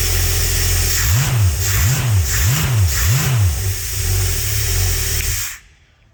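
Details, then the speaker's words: Holden 202 red six test-bed engine with rebuilt early Mk1 TBI throttle body, just started after priming: quick repeated throttle blips, then a steady even idle with no misses; idling and running beautifully. "that's idling beautifully and running beautifully."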